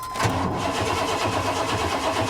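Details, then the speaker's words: Auction car at IAA Oklahoma City that sat for years with rotten fuel, fuel gauge pegged, owner suspects fuel system problems: cranking with a low dull thump about four times a second under starter noise while building oil pressure; owner suspects engine knock. "Thump Thump Thump some it builds oil for no I think there's a I think there's a knock in the old motor guys"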